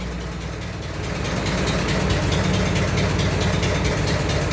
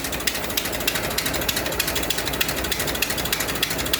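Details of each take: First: 100-year-old 1924 Dodge truck engine idling just after a dry start, throttle held up slightly, about 40 lb oil pressure, no smoke: slow rumble with a steady puff-tick about twice a second; exhaust leak. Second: 1924 Dodge truck engine, about 100 years old, at idle after carburetor and fuel system overhaul, repacking and timing chain tightening: slow, steady, evenly spaced ticking about three beats a second, no misses or knocks; smooth normal idle.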